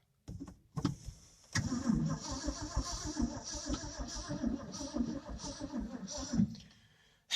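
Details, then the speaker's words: 1967 Ford F350 with choke pulled fully out: the starter turns slowly in uneven, labored pulses and the engine never catches. Slow crank, no start; owner suspects the fuel pump is not pumping gas, or a corroded negative ground cable, on a battery charged 2–3 weeks earlier. "Well, my suspicion, that fuel pump is probably bad. It is not pumping gas like it should be. It's not even cranking over fast enough, to be honest."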